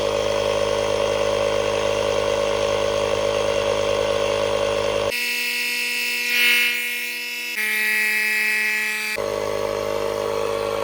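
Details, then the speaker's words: 12V tire inflator powered from Hulkman Alpha Pro jump pack's socket at 50%, inflating a tire: steady buzzing whir holding an even pitch; healthy inflator running normally, using about 1% of pack charge. "All right. Looks like it's powering it up with no problem. All right, it's working. It's at 50%."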